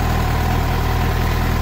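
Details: Suzuki GSX-R750, about 2,069 km, that had started misfiring, after replacing the original spark plugs with new iridium plugs: even, steady idle with a deep, regular exhaust pulse and no misses; healthy.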